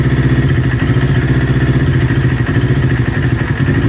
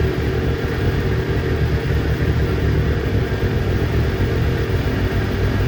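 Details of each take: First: Newly built Kawasaki Ninja twin, warm idle before coil pack replacement: lumpy beat with occasional stutters; exhaust manifold temperature checks show right-hand cylinder running 15–20 °C cooler, suspected misfiring from a faulty ignition coil. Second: Newly built Kawasaki Ninja twin that bogged and stalled when warm, after ignition coil pack replacement: steady, even idle with no stumbles, consistent past the usual warm-up problem temperature; both cylinders measured at about 258 °C.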